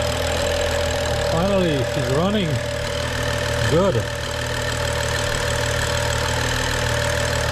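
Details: BMW N55 rebuilt engine at start during break-in, after fault codes were cleared and the chipped eccentric shaft was replaced: steady, even idle with smooth low hum and no knocks or ticks; the six sounds healthy.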